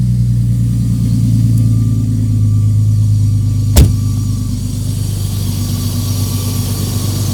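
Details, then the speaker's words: 1989 Jeep Cherokee XJ Renix 4.0L, cold start at 11°, after air idle control valve replacement: brief normal higher rev then settles to a steady, even low rumble with no hunting; previously idled 2000–2500 rpm for up to a minute. "well that fixed it that's [Music] nice so it did the initial you know higher revving like a normal car would do and then came right back down"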